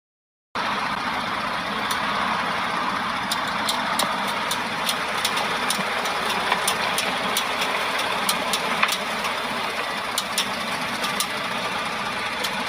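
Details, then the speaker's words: Newer (around 2010+) Ford F150: light, sharp, irregular clicks over low-speed running noise from the front wheel area, typical when turning; attributed to malfunctioning integrated wheel ends. "So in this video here, you hear this light clicking sound coming from the wheel area on a newer model F150."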